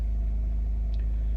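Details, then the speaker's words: Van-life generator after the air conditioner reached temperature and cycled down: quiet even low hum at constant speed, no surging or rattles; normal idle with load off. "I don't know if you can hear it in the background, but it's just a real soft hum. I mean, it's just something the way you just barely hear it when it runs."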